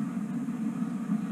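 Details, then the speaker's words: Homemade waste oil heater, version 3.0, performing far better with the door sealed and extra air-hat holes. At about 700–800°F it gives a steady, even low roar without surging or sputtering: normal burner roar. "it's unbelievable how much better it performs with the door sealed and the extra air holes in the air hat"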